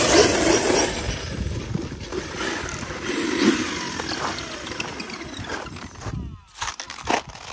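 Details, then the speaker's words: Losi 5ive-T 1/5 scale converted to brushless, Castle 2028 800kv motor, Hobbywing Max5 ESC, 8S LiPo: motor shrieks freely with thin high whir and no drivetrain load, then dies; pinion came off, confirmed. "Uh-oh. Pinion came off, it sounds like. I'm gonna have to investigate. It sounds like the pinion came off."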